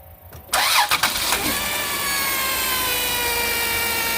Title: 100% bad alternator bearing..